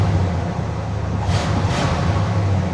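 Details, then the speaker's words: 1979 Cadillac DeVille V8 after carburetor swap, back from a drive: smooth steady low rumble with an even beat, no stumbles or sputtering; normal clean idle. "All right, she's running great. It's not sitting here and spitting sputting like it was a little while ago."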